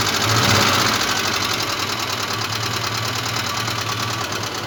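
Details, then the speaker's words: Moskvich 2140 engine, cold idle: a sharp ringing knock about three times a second over a rough, uneven idle with misfiring. Also has water in cylinder 2, oil in cylinder 3, and the oil pressure light on at idle. Cause not yet found. "Значить, стук, якщо чуть, отак він стучить, трошки ковбаси сам двигатель."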